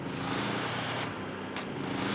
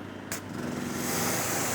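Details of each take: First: Generator of about 3450 W powering a Maxshine electric pressure washer; it struggled in eco mode but now runs at full power: steady, even drone with a constant low hum, no surging or hunting under load; running healthy. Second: Generator powering a new Maxshine professional electric pressure washer (induction motor, triplex pump, 1200 PSI, 1.9 GPM): engine drags down each time the trigger is pulled, labouring under the motor's starting load, then recovers to full power; eco mode possibly on.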